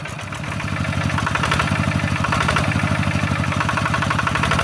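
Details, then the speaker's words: Yanmar TF-85 single-cylinder diesel tractor engine running steady and smooth, about four beats a second, with loose tinny rattle from worn, loose tractor body housing panels; fan bearings also make a rattling noise. "Jadi suaranya tambah berisik dia. Sebenarnya mesinnya ini sudah halus ya. Cuma ini banyak e sudah longgar-longgar atau sudah oblak pada rumah traktornya."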